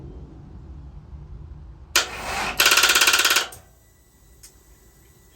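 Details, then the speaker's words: 2012 Harley-Davidson Electra Glide Classic FLHTC, spring-new AGM battery shown fully charged: starter press brings a short groan then about a second of fast clicking, engine never turns over; no-crank with rapid clicking, owner suspects starter. "a little grown and just doesn't want to turn over is it a starter problem"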